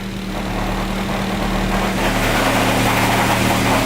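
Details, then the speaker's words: Turbocharged car idling: regular knock about three per second over a steady rumble, which goes away when the clutch pedal is pressed and returns when it is released under load; internal engine knock, block to be replaced. "you could hear it again I guess is when I press down on the clutch I am releasing the load that the engine has with the with the clutch disengage"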